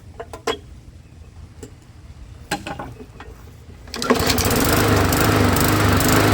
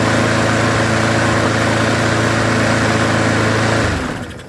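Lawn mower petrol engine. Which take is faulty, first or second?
first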